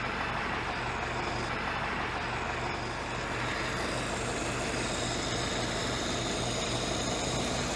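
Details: Ford-script Willys army Jeep flathead: an even, settled low rumble with a steady beat and no hunting or stumbling; idling normally.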